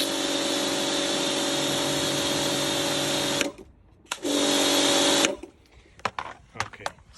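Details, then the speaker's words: Karcher K4 Compact pressure washer (1.637-311) after replacing the cracked control head/manifold, with lance connected: steady motor-pump drone cutting out and restarting cleanly with the trigger, no surging or knocking; apparently no longer leaking, running normally. "Okay, that's the sound I needed to hear, and let's see now with the lance."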